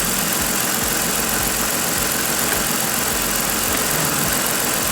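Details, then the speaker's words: 2014 Ford Explorer 3.5L after repair of a bank 2 camshaft correlation (P0019) and random misfire: smooth, steady idle with an even rhythm and no missing beats; no more misfire, though the mechanic suspects it may come back. "Let's fire this thing off. Sounds good. No more misfire."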